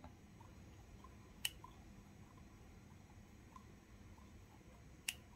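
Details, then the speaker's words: Yamaha RX-King New two-stroke oil pump turned by hand with the engine off: a few sharp, isolated ticks spaced seconds apart whose rhythm changes as the lever moves; the pump is working normally. "kan tik tik tik dan saya putar ini dalam keadaan off ini kalau misalnya saya buka saya tarik bikin ini saya putar tanda tik tik tik tik nya akan berubah"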